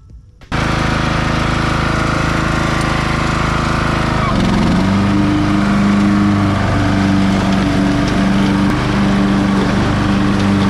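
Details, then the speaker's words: Craftsman LT1000 riding mower's Briggs & Stratton engine, after swapping the starter assembly from another Briggs motor, following a backfire: catches right away and settles into a steady, even chug with no stumbling; normal running. "see what it does thank you so the motor works works pretty well"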